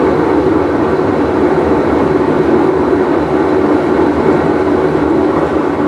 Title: Whirlpool Cabrio with bad bearing full wash cycle